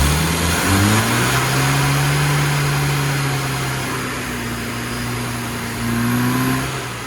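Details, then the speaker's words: Carburetted car on a road tune, 8° static advance but only 21° full advance, reached slowly: revs climb sluggishly with a dull, flat drone that won't pick up; under-advanced ignition with a slightly lean mixture needs a new advance curve. "as you can see it won't pick up because a it's a little bit lean and secondly there's not enough Advanced so we need to get get and sort that one out"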